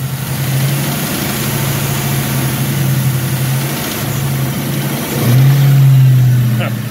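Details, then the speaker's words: Ford Mustang V8 with single turbo, knock that develops once warm, heard at idle with a rev blip: faint repetitive tap from the valley area, owner suspects wrist pin slap or rod bearing play; thicker Castrol GTX oil helped slightly; considering pulling engine to inspect bearings. "coming from the valley section I believe not really one side of the other so I think it's got a slight slap coming from like a wrist pin where it's actually got a little bit of play in one of those rod bearings"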